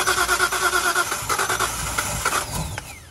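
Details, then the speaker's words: Nissan 240Z with L28 engine, first start after a full engine install: uneven cranking at about three beats a second with rough catches, backfiring and popping. Cause: spark plug wires on cylinders two and three were swapped. "okay so we figured it out i put wired on wrong on number one two and three two and three yeah i just reversed them so it was it was like off back firing popping going"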